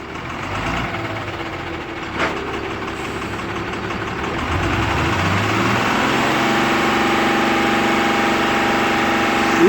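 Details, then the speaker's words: Tata 3118 BS4 12-wheel truck, Cummins engine with SCR, run on biodiesel, idling with black smoke: steady sharp knock about three per second over the diesel clatter; knock at idle, injectors and fuel pump suspected. "Engine से खटखटाहट की आवाज आ रही है खट खट खट की आवाज़ आ रहा है"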